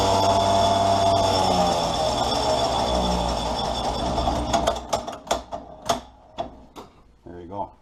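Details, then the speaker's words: Freshly rebuilt magneto on an old-school test stand firing two spark gaps: loud steady motor whine with fast crackling sparks, then sharp snaps slowing as it spins down; fires strongly and evenly, works great. "That's heavy duty. Yeah. But works great. Cool old machine."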